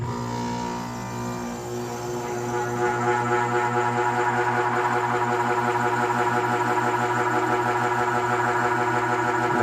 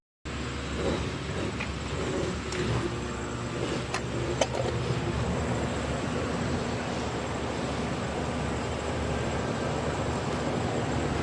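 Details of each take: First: Central AC outdoor condensing unit that stopped cooling, measured with an amp meter at power-on: loud, pulsing humming drone as the condenser fan motor struggles, drawing little amperage; a defective dual capacitor and failing fan motor were replaced. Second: Central AC outdoor unit with a newly replaced condenser fan motor, running after its reversing wires were swapped to correct the spin direction. Steady, even rush of air with no scraping, wobble or rattle; the new fan motor is running smoothly.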